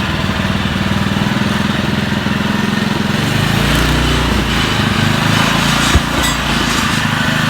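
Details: Honda lawn mower after fixing an oil leak at the seal, running flipped upright to check for leaks: steady, even single-cylinder drone, no knocks or misses; runs smoothly and healthy.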